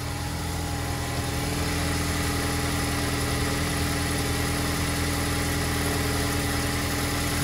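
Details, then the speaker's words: 2012 Ford Explorer 2.0 EcoBoost, 93,000 miles, cold start after sitting 6–8 hours: loose uneven metallic rattle from engine/exhaust area, not timing chain but worn turbo wastegate; also rattles on deceleration; turbo replaced. "it's not a timing chain concern on these four cylinders it's a turbo concern more specifically the wastegate on here that makes its rally noise after they wear out over time"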